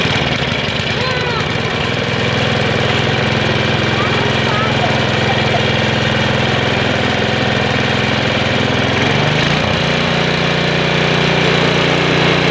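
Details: Snowblower small engine after the carburetor was replaced with a new one (part 640084B): it catches and runs smooth and even, with a clean step up in speed near the end; healthy.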